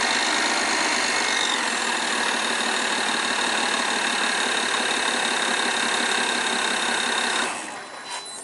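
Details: 2008 BMW E60 530i N53 inline-six at idle: fast, light metallic clatter from the rear of the engine over busy ticking; garage blamed high-pressure injectors under warranty, owner not convinced.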